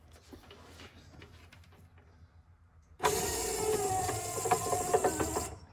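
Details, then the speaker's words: 1964–66 Ford Thunderbird rear power window mechanism, removed and run on the bench, mic held close: motor whine with irregular crackling clicks from the counterbalance spring, exceptionally noisy; spring is the cause. "hear a crackle in there let me uh let me bring this closer and you can listen to it hear that the crackling that's the spring making that noise"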